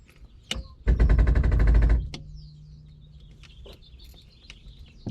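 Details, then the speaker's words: 1969 Lotus Europa barn find, off road 15 years, key turned before cranking: rapid even clicking buzz about a second then silence; electric fuel pump priming. "that was the fuel pump I think that was a fuel pump"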